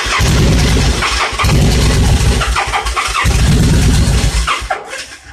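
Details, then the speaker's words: Motorcycle built from mixed parts, twin running very lean with fuel pressure reading 60 psi: fires and revs in short bursts but falters and dies each time the throttle closes; stalls returning to idle, cause not confirmed. "If I give it throttle, it'll rev up, but when it comes back down to idle, it just wants to die, which sounds like a loss of fuel pressure."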